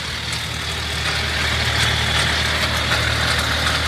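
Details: BMW N57 diesel at idle: a dry, uneven metallic rattle rides over the clatter at the front of the engine, from a stretched, elongated timing chain. The chain is replaced in the car by the split-and-roll method without removing the engine.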